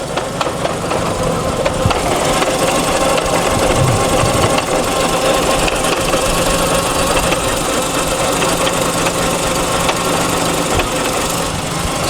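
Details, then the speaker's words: Mazda FC (RX-7) manual transmission, heard from under the car, with a touch of throttle: uneven metallic clang-clang over the engine. Transmission oil is full, so a worn front gear set is suspected and the transmission is to be removed. "that's the noise that he's talking about that clang-clang are you hear it you hear it"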